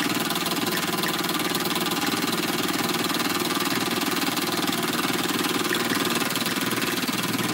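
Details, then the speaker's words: Small model steam engine, warmed up: steady even chuffing at a brisk regular beat with hissy top end, no knocks or misses; runs nicely, normal. "so it runs pretty nice not very difficult at all"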